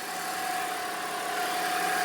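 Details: BMW 325i just after a cold start: a steady high whining whistle at one pitch over a quiet idle that goes away once the engine warms up; cause not yet found.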